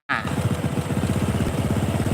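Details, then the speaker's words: Honda Supra 125 idle running fast, a quick even putter with no stumble; the idle screw on the carburetor sets idle speed, turned right to raise it, and the recommended setting is around 1500–1600 RPM, 1300 acceptable. "makin besar dia makin besar Nah cari yang paling pas jangan kegedeen jangan kekecilan ini ngatur langsam misal segini Ya teman-teman carilah di 1500 atau 1600 RPM"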